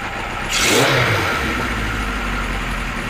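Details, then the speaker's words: Kawasaki Z1 four-cylinder, air filters off, idle screw tweaked without gauges, idling around 750 rpm: sharp blip, then revs sag back slowly over a second or more instead of dropping straight to idle; carbs not yet synced. "I think that would stay idling now for a while before it stops that's on in about 750 RADS which isn't too bad considering slow on the down"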